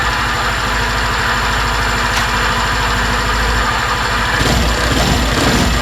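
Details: 2020 Suzuki Address 125 scooter with drivetrain cover removed: steady idle with fast, uneven tapping about two per second; unknown noise that vanishes on throttle is confirmed inside the engine, not the drivetrain.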